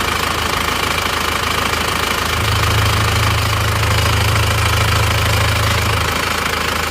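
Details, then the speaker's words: Isuzu Panther diesel running after a repair, whose engine had broken about one month and 200 km after an engine overhaul; worn parts were replaced with used ones. It idles with a steady, even clatter and a smooth low hum and no odd knocks, a normal healthy idle. "nah ini sudah hidup teman-teman hidupnya seperti ini suaranya seperti ini ganti bekas semua Kelihatannya sudah rata"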